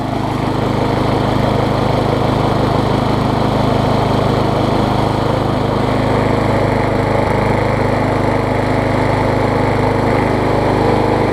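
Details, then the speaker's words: MTD push mower engine swapped onto a Troy Bilt deck after a blade strike, running after replacing a sheared flywheel key (bent blade and crankshaft also found): steady, even drone with no surging; runs much better. "Alright guys, this thing should run quite a bit better now. Much the camera picks up, but that's a lot better, a lot better."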